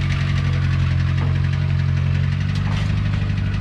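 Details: 1982 Renault 5 Alpine Turbo with a failing engine, driven 921 km: deep lumpy idle with a dull knock about three times a second; a worn bearing is suspected but unconfirmed.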